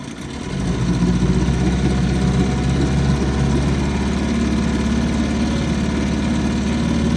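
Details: 1955 Johnson 5.5 hp outboard running in a test barrel; picks up quickly and holds a steady, even low burble with no knocks or misses: a great runner.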